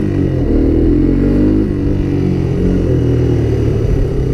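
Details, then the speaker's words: Honda Big Red ATC250ES no-start fixed by cleaning brown sticky deposits from carb and intake and refueling with stabilized gas and Sea Foam; the single picks up cleanly with a steady rising note and no misses or popping, accelerating well. "Yeah, the carburetor is completely clean. It's accelerating well."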